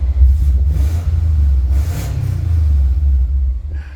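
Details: Rebuilt 2002 Subaru Impreza wagon, heard with the rear hatch open: a deep, even boxer rumble with a smooth rev and no knocks or rattles. Healthy, clean running.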